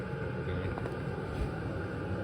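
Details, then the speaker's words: Chinese diesel heater in military enclosure, running a few minutes, warm air melting snow: steady low hum and soft combustion rumble, no surging, popping or loud ticking; running smoothly and quietly, normal running. "let see yeah definitely warm water or warm air coming out of there see how warm starting to melt some of the snow"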